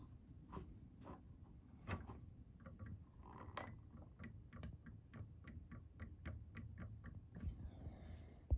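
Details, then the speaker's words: Prusa MK3 bed on the original factory tri-bearing setup with old bearings: sharp, light clicks about twice a second as the bed is rocked in a quiet room; a small play gap, old or worn bearing suspected. "it's very very tiny movement it's not a very big movement but you can hear the sound that there is a gap between"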